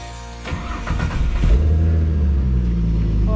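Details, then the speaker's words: Holden VX Commodore after new radiator installed: about a second of cranking, then catches quickly and settles into a steady, even idle; clean, healthy start, runs "like a dream". "Oh, like a dream."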